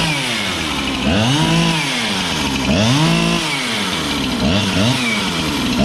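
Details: Husqvarna 365 chainsaw with a new piston and cylinder, full throttle, no load: revs surge and warble with a burbling break-up instead of a clean scream. Four-stroking, healthy rich tune, not lean.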